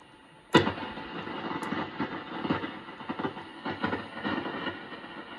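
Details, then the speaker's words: Crackling, arcing-like noise on Band 1 only of an RME-69 receiver, still present with the Band 1 coil's ~240 V B+ plate feed disconnected from the bandchange switch. Band 2 is quiet. Arcing in a phenolic bandchange switch wafer is suspected. "is still quite allowed cracking noise present on band 1. not on band two"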